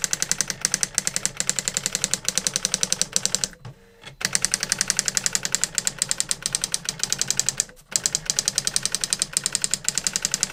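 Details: New-in-box 1985 Epson DX-10 printer printing a Windows 2000 generic text-only test page via the printer port: rapid, even clacking in bursts with short line pauses, no grinding or skipping; printed perfectly, normal printing.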